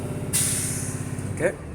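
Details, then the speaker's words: CDL Class B bus during the air brake test, revs held up until pressure reaches 125 psi: a steady engine idle, then a roughly one-second hiss of air as the governor cuts out with the tanks full. "now you can see the air gauges are moving now when you hear the sound that means it's full"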